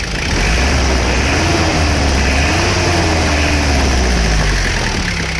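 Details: Isuzu Panther diesel after engine repair, idling: deep, even clatter, no knocks, misses or hunting; exhaust shows essentially no smoke or oil vapour, engine healthy and tight.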